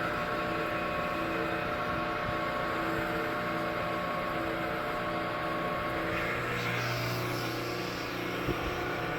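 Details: 1940s Crescent Heavy 20 band saw, restored metal-cutting saw with new bearings, guide blocks and oiled sleeve bearings up top, blade speed about 130 feet per minute: even motor hum with a smooth, constant blade whir, no knocking, rubbing or grinding; runs healthy.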